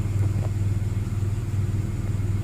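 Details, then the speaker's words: Nissan Xterra with P0132 code and misfire, owner suspects bad injectors; after erasing codes and check engine light going off, idle changed and now settles to a low, even, smooth idle with no stumbling: normal idle. "all right she's idling good keep my fingers crossed hopefully this will work"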